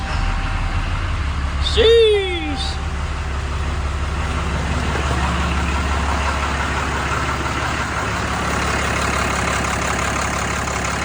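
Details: Ram 5500 diesel, towed from Oklahoma for a failed engine, started after major engine repair on a jump box (batteries low), rail pressure monitored: cranks, catches, settles into a steady, even idle with no knocking or misfire; runs sweet.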